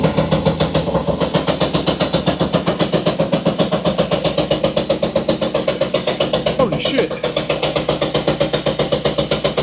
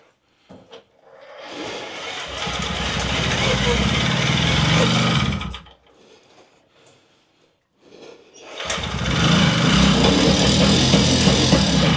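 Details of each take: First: Puch Maxi two-stroke moped, finally started and smoky: crisp even popping about four beats a second holding steady; idling cleanly. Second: Puch Maxi two-stroke moped that had been a non-runner. Two short, buzzy bursts, each running a few seconds then dying away: it fires but won't keep running.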